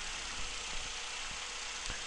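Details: Four-cylinder engine idling evenly with injector plugged back in, cylinder balance test on oscilloscope back near 100%: steady low pulse, no stumbles or missed beats; smooth idle.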